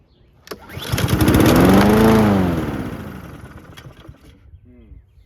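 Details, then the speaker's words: Honda GCV160 on a Husqvarna HU700H self-propelled push mower, unrun after sitting 3+ years, catches and surges unevenly, bouncing off the governor as if on choke, then dies within seconds. The auto choke was suspected, but the choke was open. "Started and died. Okay, so it's kind of bouncing off the governor and it's almost acting like it's on choke the whole time."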